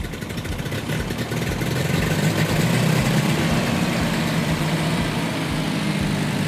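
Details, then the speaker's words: Ford 8N tractor engine after settings redone and timing advanced from 0 to 4 degrees BTDC; deep low chug picks up and settles into a steady run with no misfires or knocking; running properly. "Then also redid the timing instead of 0 degrees. I went to 4 degrees before top dead center, monkeyed around a little bit and got it fired up."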